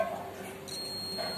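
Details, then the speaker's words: 250 W Ahuja amplifier with a sound problem: faint thin continuous continuity beep with the probe on the rectifier's minus point and the transformer AC output wire point; rectifier is shorted. "देखिए हल्का हल्का beam की आवाज़ आ रही है, इसमें तो shorting बतला रही है।"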